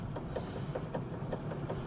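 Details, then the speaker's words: Fiat Panda driving: light regular tapping at right rear wheel, about five a second, following road speed, even without turning; frayed sticking handbrake cable keeps rear shoes half-applied and dragging. "проблема-то оказалась в тросе ручника он протерся в одном месте и начал заклинивать то есть колодки подклинивают полуподжатые"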